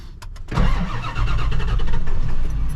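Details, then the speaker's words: Ford F250 7.3 diesel, 500k miles, after turbo removal and exhaust repair, morning cold start with glow plugs still not replaced: short crank, then catches immediately into a steady, even idle clatter; normal cold start. "But the truck normally starts just fine. We'll see this morning. Without the glow plugs, just have to crank it over twice sometimes."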